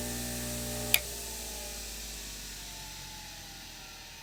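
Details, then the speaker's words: Craftsman electric motor after rebuild with new bearings, switched off: steady hum, one sharp click as centrifugal switch drops out, then pitch falls smoothly during long coast-down; normal wind-down. "now listen for the centrifugal switch that's a nice wind down huh it's very smooth still going"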